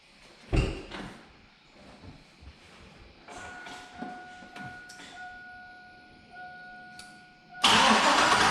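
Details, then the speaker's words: 2002 GMC 2500 HD 6.0 L V8 on its first start after purchase: cranks and catches, then idles unevenly with an irregular stumble before revving hard; a misfire, owner suspects clogged or stuck injectors; oil pressure is good. "definitely got a misfire if I were a petting man i' bet that it's got some either cloth or stuck injectors in city but guys it runs"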